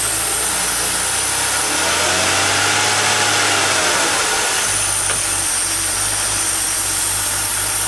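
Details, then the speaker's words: 2002 Mercury Sable after new plugs, wires, coil pack and valve cover gaskets, fault code cleared: idle with a slightly wavering, uneven note and a faint hiss; owner suspects a vacuum leak by the EGR, later traced to a disconnected hose. "now a little vacuum leak by the EGR let me fix that all right let's try that again"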